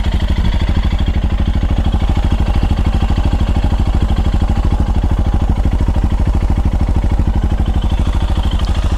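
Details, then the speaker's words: Royal Enfield Himalayan Euro 5 after inlet and exhaust valve clearance adjustment, recorded right over the engine: even, steady single-cylinder idle thump with no stray ticks or misses; running healthy. "I think that sounds okay"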